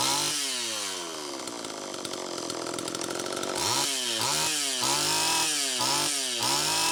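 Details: Homelite Super EZ chainsaw after crank seal replacement: it screams high, then revs surge and drop unevenly, with the idle speed screw far out. It runs lean from an air leak at the intake manifold, with a bad gasket or cracked intake adapter suspected.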